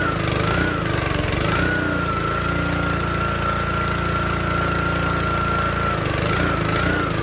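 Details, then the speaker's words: Troy-Bilt log splitter small engine: runs steady, then pitch sags and labours as load comes on, almost stalling before recovering; bogs under load, cause suspected, not confirmed. "Alright, this little engine runs great. And then, as you can hear, as soon as you put load on it, it wants to die."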